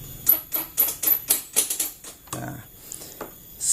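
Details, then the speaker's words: Honda Vario scooter, key on and starter button pressed: quick, sharp ticks about four a second, and the engine never turns over or starts; starter relay chattering because the battery is a little weak. "seperti itu bunyi tek tek tek tek tek tek nah seperti itu kasusnya tapi dia tidak mau nyala"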